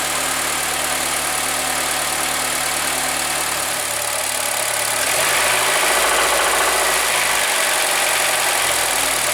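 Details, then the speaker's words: Honda Accord engine, no knock at idle but a hard regular knock keeping pace with revs from about 2000 rpm; rod bearing knock, bearing fragments found in the pan, suspected second cylinder. "вот на холостых он не стучит а вот чуть-чуть часу до двух тысяч и начинается стук прям хороший"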